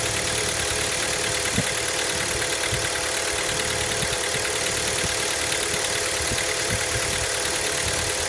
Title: Стук на холодную Hyundai Elantra MD 1.6